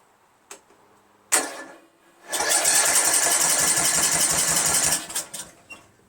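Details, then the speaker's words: 1999 Craftsman LT1000 lawn tractor, Briggs 17.5HP engine, after a carburetor swap, 130 psi compression, valves adjusted: steady cranking about four turns a second with no firing or pop, even on choke and starting fluid; cranks but won't start, cause unknown. "Choke. Off choke. Not any signs of starting."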